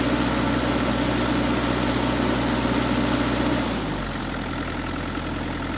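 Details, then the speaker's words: Kubota KX121-3 excavator after replacing the fan/water pump belt and A/C belt: a steady, even diesel idle that settles slightly lower, with no squeal or chirp. The earlier belt squeal from the back end is gone. "all right guys so as you can see in the previous clip uh there was no more squeak and I am really happy now because the machine can operate quietly and no more Super annoying sound coming from the back end"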